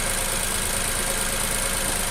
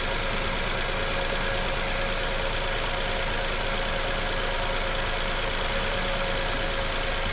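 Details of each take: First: Nissan Almera petrol engine idling evenly after replacing a faulty ignition coil that caused shaking and a flashing light; all cylinders firing normally. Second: Nissan Almera petrol engine with the plug connector pulled off one cylinder during a coil check at idle: uneven loping low thump about three times a second and idle drops, one cylinder not firing; coil later replaced.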